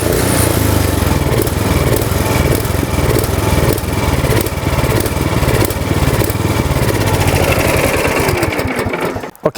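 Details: Surging snowblower small petrol engine, before or during Seafoam treatment: chugs unevenly, speed swelling and sagging (hunting idle), then winds down.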